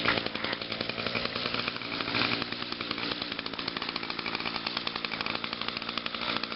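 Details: Echo two-stroke trimmer, unused since Friday, started on choke after about five primes on a hot 92°F day: a high, buzzy note holds steady with even firing and no stumbles or misses, so it is running healthy.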